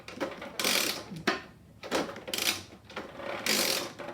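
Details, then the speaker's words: Supercharged postie bike, opened up after a loud crack killed the engine: with the clutch off, the gearbox is turned by hand through forward gear and neutral. Uneven light ratcheting clicks and clean meshing with no grinding; the gearbox is not the problem. "the wheel spinning forward gear neutral doesn't seem to be a problem with the gearbox"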